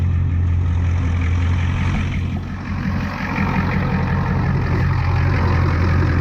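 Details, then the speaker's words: 1989 Ford F250 7.3 IDI diesel, first start from the cab after replacing the fuel filter, return and pump lines and cleaning the tank (earlier started via solenoid): deep, steady idle rumble with an even beat and a brief dip, sounding much better. Normal idle. "I've been starting it through the solenoid see what happens to click knitty click oh yeah that sounds a lot better a lot better"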